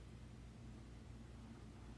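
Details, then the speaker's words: Chrysler Town & Country horn commanded on/off via scan-tool bidirectional test: horn relay in fuse box clicks with a faint hum but no horn sounds; circuit good, both horns defective and to be replaced. "Actually, I can hear the relay clicking inside the fuse box. Listen, on,"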